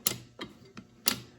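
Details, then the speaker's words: Allis Chalmers M transmission top cover after fitting a remade piece a quarter inch longer: three or four sharp clicks as the shifter lever drops into and returns to its detent; normal detent click. "this is sitting right in the detent you can hear that"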